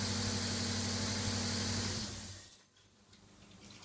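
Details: Subaru EA82T turbo flat-four on Megasquirt MS3x, after new fused ignition and injection relays are wired in: steady, even beat of about four pulses a second for two seconds, then fading off, no misfire or knock; normal idle.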